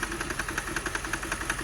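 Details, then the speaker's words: 2006 Mercedes CLS 500 V8 after fuel pump work: uneven idle with fast knocking about ten beats a second, heavy shaking, oil burning off; a bad miss, cause unknown besides fuel. "see obviously some gas some uh some oil that's burning off look at all this knocking around that ain't good"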